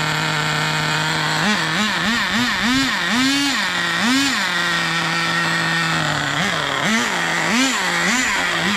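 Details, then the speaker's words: Turbocharged nitro RC car engine blips in quick bursts, revving higher after the mixture is leaned, following rich-running and bubbling complaints; still not shifting into second, owner suspects burnt-out transmission or clutch. "oh that seems faster yeah that is faster still not shifting so we for sure burnt out the transmission or the clutch or whatever"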